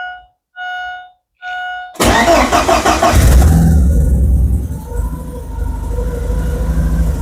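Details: Porsche 944 stolen and dumped for a year in the woods, first start after reconnecting the engine signal wire to restore injector pulse: three warning chimes, quick crank, catches and revs cleanly then settles; normal start and rev.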